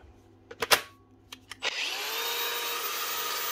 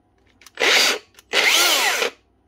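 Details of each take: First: 2014 Makita 4½-inch cordless brushless grinder after replacing a worn 607 bearing (customer reported a bad noise and smell): smooth, steady high whine spinning up and winding down cleanly with no rumble or rattle; normal running. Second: Makita angle grinder, customer reports bad noise and smell, starts in two short bursts with a harsh gravelly rasp; collapsed motor bearing, balls missing, held together only by its seal.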